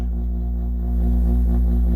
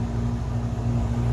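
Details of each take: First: Chevrolet camper AC, first test after towing; deep steady hum that steps louder as compressor kicks in but no fan airflow; squirrel cage blower fan seized, barely moves by hand. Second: Chevrolet camper AC after freeing the blower; loud steady low hum and constant drone with no rattles or scraping, blowing cold air; blower now running normally.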